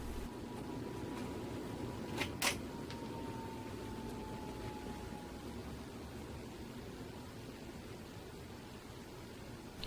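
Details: Pompeo YG618-WH 52-inch outdoor ceiling fan at medium speed: very quiet, even run with a soft fading hum, no whine and no wobble; normal running.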